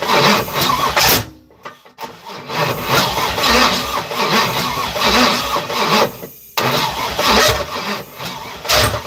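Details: Third-gen (82–92) Camaro on starter fluid, other coil pack just plugged in: uneven cranking bursts with sharp pop partway, coughs but never runs; backfire, no start. Owner suspects injectors not working.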